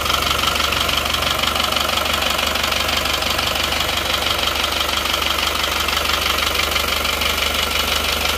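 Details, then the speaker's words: Isuzu Panther diesel after liner and piston rebuild with counterfeit "made in Japan" pistons: harsh, clattery rough idle with steady rapid knocking, compared against the same engine on genuine pistons. "jadi seperti inilah saat pakai seker yang eh Jepang KW langsung dibandingkan ke e yang pakai seker yang asli ini seperti ini yo"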